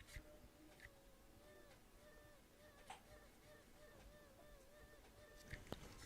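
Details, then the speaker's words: New Tecware QUAD TG ARGB Micro ATX case fan gives a warbling, sing-song squeal rising and falling over soft fan rush; owner suspects a dodgy fan bearing. "It's literally making a song. It's like singing. Squealing."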